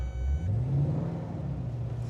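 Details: V8 with a Chopper Reid camshaft and CNC heads, correctly tuned, pulling away from reverse up a slight incline on idle alone with no throttle: a deep, steady, even rumble; healthy.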